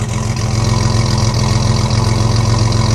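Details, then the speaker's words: 1982 Chevrolet S10 with a GM HT 3.4L crate engine, TH-250 automatic: loud, deep idle with uneven chuffing exhaust pulses about three or four per second; holes throughout the exhaust system make it sound choppy. "The exhaust is a little choppy, but I'll let you hear"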